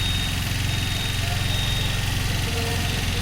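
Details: New 2025 TVS Jupiter 125 scooter with 656 km, before first service: at idle, a fast even ticking at about four per second over a loud, droning, generator-like engine sound. Tappet noise from excessive valve clearance.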